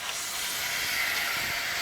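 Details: Water heater temperature and pressure relief valve being opened during anode rod replacement maintenance, its discharge pipe getting hot; steady strong hiss of water and steam rushing out with nothing underneath; pressure relief valve discharging properly.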